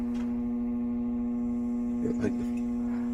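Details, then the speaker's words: HVAC system on a cooling call with the thermostat set to 68: a steady low hum with no airflow. The blower motor is powered but stalled and not spinning, so there is no cool air and it risks freezing. The owner always heard this hum. The blower motor was replaced. "Oh, it sound like the fan don't work. And I got it set to 68."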